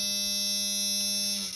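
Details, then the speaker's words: 1994 Dodge Ram 5.2 with a delayed start (owner suspects failing ignition switch and starter) and electrical problems: a steady, harsh warning buzzer holds one pitch about 1.5 seconds then cuts off, sounding even with the door closed; cause not identified. "so we'll close our door so the buzzer don't go off for the door it's still going to go off but for other reasons yeah I hear it"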